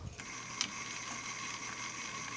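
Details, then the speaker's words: Mercedes SL600 throttle actuator motor, before repair, powered directly across its terminals: the passenger-side motor spins with a steady even whir and no binding, while the driver-side motor fails to turn. "same exact thing do the same exact motor on the other side as you can see it is turning"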